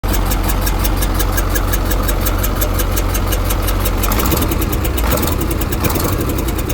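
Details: KAMAZ diesel engine at idle: a rough, uneven tapping at roughly eighty knocks a minute running through the clatter. It is an engine knock whose source is not identified.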